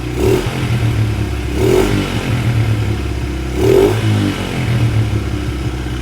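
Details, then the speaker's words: Two-stroke dirt bike just after a carburetor clean, with throttle blips that settle each time. The idle is a touch high but it runs cleanly. "Idle's obviously a little high."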